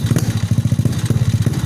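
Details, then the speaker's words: Honda Supra fitted with a Yamaha Mio CDI, pulser trigger bump not yet modified: fast, uneven, lumpy putter at idle; the engine runs but dies when throttled until the pulser bump is changed. "Ini kondisi Supranya belum dirubah tonjolan pulsernya, baru dirakit bagian CDI nya aja, cuman bisa hidup, tapi kalau digas mati,"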